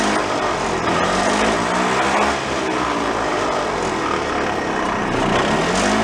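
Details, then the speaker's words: Mid-1980s EZGO golf cart two-stroke engine after rebuild for low compression, running without intake so slightly lean: steady busy high idle, even, no misses or knocks; much better than before. "all right definitely sounds much better than it did the first time"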